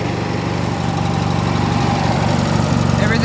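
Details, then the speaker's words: 1980s MTD Yard Machine garden tractor, 18.5 hp Briggs & Stratton, oil recently changed. Rough, shaking idle with quick, regular tapping about four per second; the owner asks if it is rod knock, unconfirmed: engine knocking. "that sounds like knocking to you this is shaking too"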